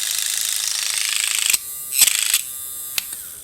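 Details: Waterpik-style water flosser/oral irrigator pump on the bench, motor fed 3 volts from a bench supply with frame fitted: high, buzzy gear whirr runs steadily, then cuts in and out briefly; pump motor and gears turn freely.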